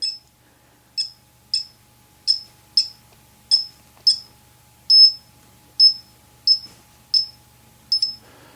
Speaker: now it seems to be working consistently where it wasn't before